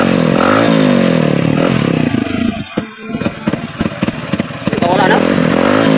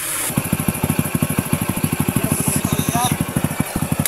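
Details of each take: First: Motorcycle that would not run properly after fuel system cleaning: engine revs unevenly, its beat stumbling and dropping out around throttle blips; a persistent misfire traced to a faulty CDI. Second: Small single-cylinder motorcycle that had misfired and wouldn't run, now running on a different CDI: even, steady firing pulses at about eleven per second with no misses or stumbles; smooth normal idle.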